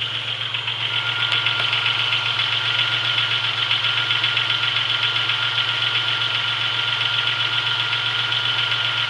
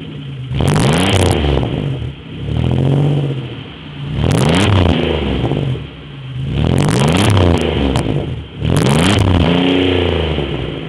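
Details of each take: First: 1996 Chevrolet Beretta with 3100 V6, cold start after sitting 2 days, days after a main seal replacement with new harmonic balancer and serpentine belt: steady idle with a faint regular light tapping, about four per second. Light knock, less than before; cause unclear. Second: 3100 V6 Chevrolet Beretta, warm, a few days after main seal, harmonic balancer and serpentine belt replacement (coolant leak once suspected head/intake gaskets): four quick blips rise and fall cleanly from smooth idle, little ticking; sounds as it always did, normal revving.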